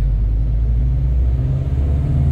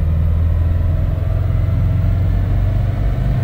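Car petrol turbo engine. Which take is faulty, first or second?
second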